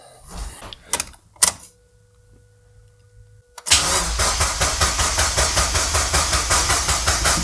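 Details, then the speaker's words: Restored Mazda MX-5 Miata drift car, engine just refitted, first start attempt with fuel pump running: starter cranks steadily about two and a half turns a second but never fires; no fuel reaching the engine because the tank was never filled. "je suis pas sûr que c'est l'essence est-ce que j'ai inversé les deux tuyaux il y a pas d'essence là d'accord il y a pas d'essence"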